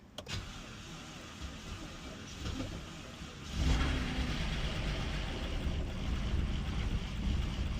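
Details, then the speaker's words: BMW 328i first start after engine swap, new oil filter housing gasket: quiet cranking, catches about 3.5 seconds in on second try and settles into a steady low rumble that keeps running; normal start. "All right. So, we're going to try to start it for the first time since I put the motor in."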